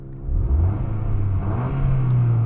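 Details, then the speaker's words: 2023 VW Golf R MK8 20th anniversary, Stage 1 034 tune, stock exhaust in comfort mode: low subdued rumble rising smoothly under acceleration, nothing raspy; quiet, healthy exhaust, barely heard from cabin or outside. "you definitely don't hear it from in the cabin and from outside you don't hear much either and then this is supposed to be like the loud exhaust"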